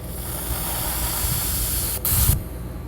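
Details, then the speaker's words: 2005 Procharged Trailblazer fuel injector bench test, wired to the battery and fed from a pressurized can: a steady, even hiss of fine spray that stops cleanly when released or tapped. The injector is good and not sticking open. "hold the injector open which is pretty normal for doing tests and then pressurize the can"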